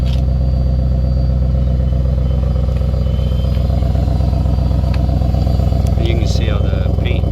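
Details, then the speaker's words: 2023 Audi RS7 at pre-purchase inspection: deep, steady, even exhaust burble at the tailpipes with a smooth low pulse and no ticks or rattles; exhaust sounds healthy. "It sounds great, though."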